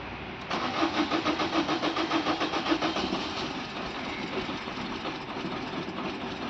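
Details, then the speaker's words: Maruti Swift diesel, mistakenly filled with petrol after running dry, now topped up with diesel: steady starter cranking about 3.5 beats a second for two seconds, never catches; petrol still in fuel rail and injectors must return out before it starts. "Start ആവുന്നില്ല okay അപ്പൊ നമ്മൾ of ചെയ്തു guys ഇപ്പോൾ സംഭവിച്ചത് എന്തായിരിക്കും എന്ന് അറിയുമോ അതായത് നമ്മുടെ ഫ്യൂവലിന്റെ റെയിൽ ഇല്ലേ ഫ്യൂവലിന്റെ റെയിൽ ഇൻജക്ടർ അതിലൊക്കെ എപ്പോഴും ഉള്ളത് പെട്രോൾ ആണ്"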